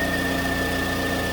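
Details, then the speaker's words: 2009 Pontiac Vibe at idle after alternator replacement for a failed rectifier diode; new alternator charging at 13.5 V with a steady high-pitched whine as it works hard to recharge a low battery; normal alternator whine under charging load. "but you can hear the alternator whining because it's working hard to recover this poor battery"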